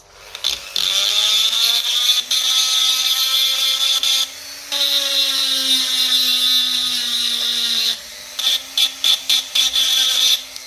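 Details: Lucas C40 dynamo from a 1955 Ferguson TEF-20 diesel tractor, bench-tested after repair: high, even whine with light scratchy hiss rising and falling with speed, grinding-like but doing no damage; brushes bedding in, dynamo healthy.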